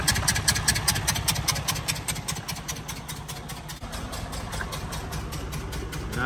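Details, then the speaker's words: 2019 Freightliner Cascadia DD15 diesel, 785,000 miles, engine noise complaint, cylinders 4 and 6 at zero compression; uneven puffing tick about 2.5 per second at idle, sounds like bad exhaust valve; exhaust or intake leak suspected. Rough idle. "bad at all guys so we definitely definitely have an exhaust leak or an intake leak"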